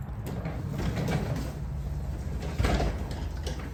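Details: Garage door opener after silicone lubricant applied: smooth low rumble with a few soft knocks, no harsh squeal; runs freely.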